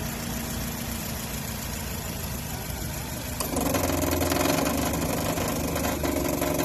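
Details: 2008 Nissan Versa SL idling with a loud, steady whirring drone; the owner first suspected the timing chain guides, but the serpentine belt tensioner pulley was the cause, and replacing the belt and tensioner fixed it.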